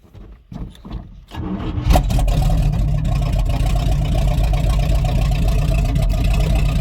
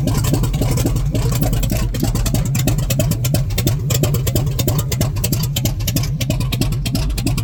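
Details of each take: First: Rotted squarebody Chevy 454 big block, on jumper cables with the fuel pump switched on: a couple of cranks, then it catches and settles into a deep, steady, even rumble that the owner says sounds good, though it was then dripping hydraulic fluid. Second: Rotted squarebody Chevy with a 454 big block, fuel tank refitted and fuel pump running: it fires and runs raggedly without settling. The owner suspects a vacuum leak, and fuel delivery is also questioned.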